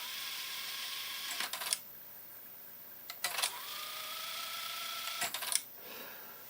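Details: TEAC V-900X cassette deck after a belt change and adjustment of the pause potentiometer on the lift/door control board: short whirs and clicks every two seconds or so with a faint motor hum; the transport now engages properly.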